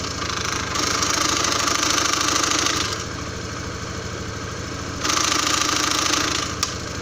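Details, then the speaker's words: Honda Scoopy-i scooter idling while leaning left on side stand: bright metallic rattle from the belt housing that quiets when the kick-start lever is pressed down slightly and returns when released fully up; kick-start gear rattle. "เวลาผมกดคำสตาร์ทลงเล็กน้อยเสียงจะเงียบไปนะครับแต่พอผมปล่อยคันสตาร์ทให้ดีดขึ้นไปจนสุดนะครับก็จะมีเสียงดังอย่างที่เพื่อนๆได้ยินได้ฟังไปเมื่อสักครู่นี้นะครับ"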